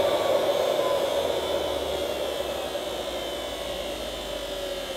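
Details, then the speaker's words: 1975 Hoover U4034 Ranger Senior vacuum with the belt released: the motor alone gives a smooth, steady high-pitched hum with no rattle; the noise is blamed on the agitator brush roll, likely worn bearings. "so yes as I suspected I think the motor sounds fine to me so the whole problem is in this"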